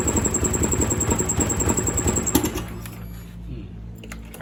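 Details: Honda Scoopy-i scooter that starts but won't accelerate runs with a rough, pulsing ticking about three times a second, then drops to a quiet idle; recorded before replacing the ECU, after which it ran normally.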